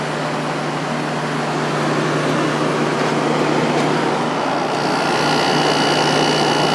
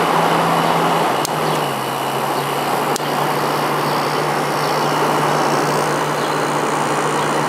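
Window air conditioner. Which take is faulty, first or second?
second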